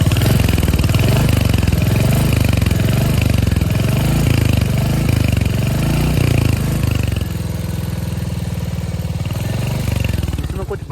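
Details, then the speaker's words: Royal Enfield Hunter 350 under warranty: single-cylinder thump with a loose tinny buzz on each beat, easing as revs drop; noise from the bend pipe, owner also reports a failed catalytic converter, taking it to the showroom. "अब इसके band pipe से आवाज आ रही है showroom ले जाऊंगा"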